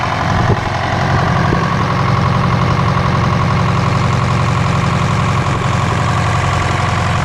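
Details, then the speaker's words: Detroit 4-53TIB two-stroke diesel, fully rebuilt to Silver Series after a busted liner, warm idle at the shop at -7: loud steady drone with an even beat throughout; runs smooth and healthy. "I rebuilt the whole engine put it into a silver series and uh it's been Golden man this thing runs so nice it's uh just beautiful"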